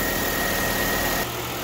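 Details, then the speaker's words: Chevrolet Sonic 1.8 after replacing the faulty exhaust camshaft solenoid (code P0366). Even, smooth idle with a steady hum and no ticking left; the ticking is fixed. "Всё, со стуком мы победили."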